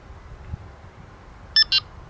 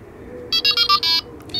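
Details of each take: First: Delkim TXi-D bite alarm gives two short bright double-tone beeps after a quiet pause, confirming the tone setting has been stored. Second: Delkim TXi-D bite alarm with receiver: switching off the alarm unit triggers the receiver's anti-theft alarm, short high beeps in a run of five, pause, then steady tone; stopped by holding any button.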